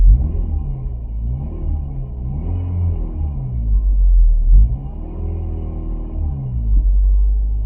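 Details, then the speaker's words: 1994 VW Golf 3 Variant with rebuilt fuel pump, warm, oil about 62 degrees: free revs rise and fall cleanly several times, no stumble or bogging; fuel pump working fine. "It's not bogging, it's not doing anything, so the fuel pump is working perfectly fine."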